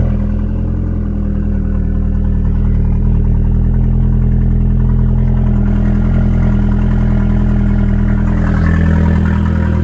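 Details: 2002 Audi A4 B6 just after fitting a used turbo and refilling with 50/50 coolant, during the cold start: a deep, steady idle with an even low hum and no knocks or misses, a normal smooth idle.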